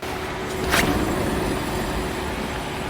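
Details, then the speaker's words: Wheel spun by hand: rough low groaning grind with faint hum from a worn wheel bearing; higher-pitched scratch is brake pad; groan grows louder with speed. "That is the bearing going out. You hear that lower groan grinding sound? That's going to be amplified when you're driving a faster speed."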